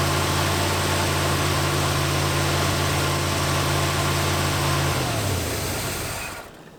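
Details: 1986 Dodge Diplomat police car, parked 25 years, with coolant bubbling at the thermostat: the engine runs with a steady drone, then speed sags and it dies; rough running after the timing was advanced, which the owner judged too much.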